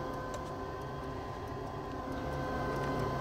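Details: 90% Carrier furnace in a crawlspace, no-heat call: light uneven ticking over steady hum as the condensate pressure switch chatters, making intermittent contact from a clogged condensate trap/drain, not enough to set a board fault; clearing the trap fixed it.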